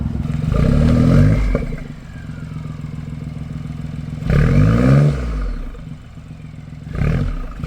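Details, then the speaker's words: BMW i8 exhaust after repair of the flex joint (bellows) and cracks: two clean throttle blips rising and falling smoothly, with the earlier vibration and rattle gone. "떨림이 없어졌네. 조용해졌다. 와 아예 없다. 응. 아 깔끔하다."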